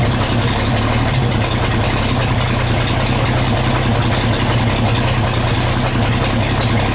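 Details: 1934 Chevrolet 1.5-ton truck, first run after about 70 years, cleaned carb, sanded points, fresh gas, 6-volt battery, about 15 psi oil pressure: steady, even low rumble, no knocks, misses or surging; normal idle.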